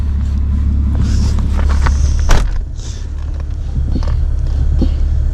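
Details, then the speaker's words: Driving a 2003 Ford Taurus: steady low drone and road rumble with no knocks, ticks or whine; engine sounds mechanically sound and runs and drives well. "everything else mechanically she's sound she sounds good which runs good"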